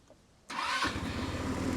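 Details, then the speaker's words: Old 150cc scooter, dead in the jungle days earlier, now cleaned up with tires aired and cracked plastic glued. It fires at once on the now-working starter button and revs up smoothly, running evenly and starting easily. The kill switch also works. "Look at that. Kill switch works, starter button works. From dead in the jungle just a few days ago to ready to rip."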